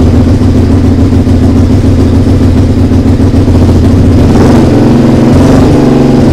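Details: SV twin under restoration, just started after carb rebuild, TPS setting, regulator change and fresh fuel: a loud, coarse exhaust with an unsteady beat of about three to four pulses a second, stumbling. The owner suspects an exhaust leak.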